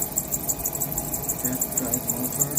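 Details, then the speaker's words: Sole F63 treadmill drive motor belt squeaking: high, sharp chirps about six times a second over a soft hum. "This is a Soul treadmill, and you can hear a squeaky sound in there."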